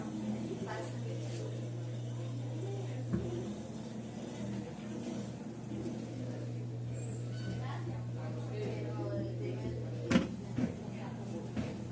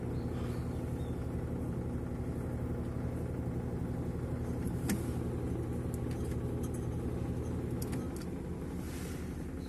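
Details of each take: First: 18-lb Samsung top-load washer in spin cycle after repair (transmission pinion maintenance and clutch lever screw calibration): steady even low hum, no knocking or grinding, spinning normally. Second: Samsung 18 lb washing machine during the wash cycle, before repair: heavy rhythmic rumble, about three beats a second, with a rough grinding edge; transmission clutch claw slips off the pinion instead of engaging, later fixed by calibrating the clutch.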